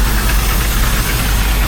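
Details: Rinker 410 boat inboard engine restarted after spring oil service, checked for leaks (none found); port battery seemed weaker than starboard. Steady, even low rumble with no misses or knocks; normal idle.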